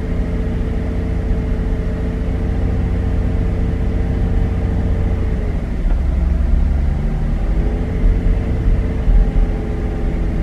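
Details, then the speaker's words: Chevrolet Traverse petrol V6 held at 1500 rpm just after starting: steady fast idle stumbling, hum sagging then recovering, pops from the exhaust; 14 misfires counted, cylinder four to be investigated. "right at 15 i'm getting lots of pops you can hear them out the back side you can kind of feel them in the engine where it just hesitates a little bit"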